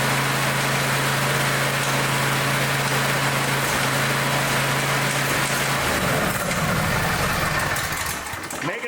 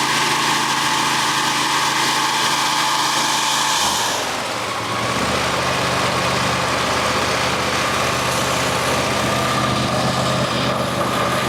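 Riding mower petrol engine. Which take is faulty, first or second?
first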